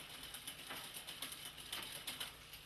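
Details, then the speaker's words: Bicycle rear derailleur being fine-tuned with the barrel adjuster, turned in until the chain moves up one gear: a few light, crisp clicks as the chain climbs onto the next cog, no grinding or chatter; normal clean gear shift. "There it is. And you want to hear it move up nice and clean."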